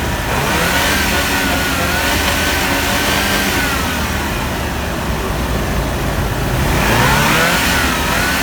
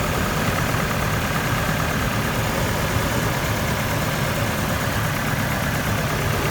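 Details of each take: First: GMC 2.8L four-cylinder truck engine after a timing chain repair, with the cylinder 3 ignition coil (broken during removal) fixed, runs steadily with a smooth, even note, firing cleanly on all cylinders. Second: GMC truck 2.8L four-cylinder after a timing chain job: rough, lumpy idle with an uneven low beat, cylinder 3 misfiring because its ignition coil was broken during removal; no scanner codes.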